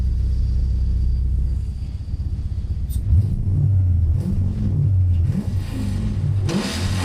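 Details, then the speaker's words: BMW E92 drift car with a swapped-in V8, tuned, first start-up era: deep, even V8 rumble climbing cleanly with each throttle blip and settling back smoothly, no misfires or rattles; normal revving, good throttle response. "Jesus, how beautiful that sounds. That's the only reason I could put a V8 in, just for that sound."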